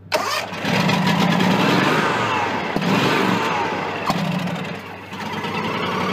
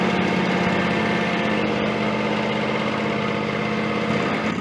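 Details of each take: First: John Deere X300 with Kawasaki FH engine, 17 hours, cranked with brake cleaner in the intake: starter churns in repeated bursts but never fires; fuel-starved from a stuck carburetor fuel shutoff solenoid. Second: John Deere X300 with Kawasaki FH engine, 17 hours, after freeing and cleaning the stuck carburetor fuel shutoff solenoid and refilling the bowl: steady, even low thrum at idle with no misses, surging or knocking; runs smoothly.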